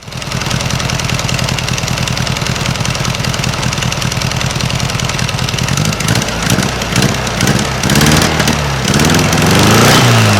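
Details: 1956 VW Beetle engine on a newly installed Solex 34 PICT 3 carburetor: a rapid, even putt-putt with a sharp ticking pop on each beat, rising with revs. It is an exhaust leak at the unbolted heat riser flanges, not valves.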